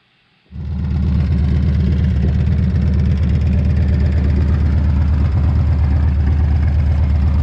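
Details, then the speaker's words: Harley after cracked exhaust crossover pipes were replaced and a new brake caliper fitted: fires up cleanly into a deep, loping V-twin beat, about three pulses a second, steady with no knocks; healthy idle, though oil seems to be leaking from the carburetor. "But man, she sounds good, she's running good, everything's nice and tight, and I'm ready for the summer, tell you what."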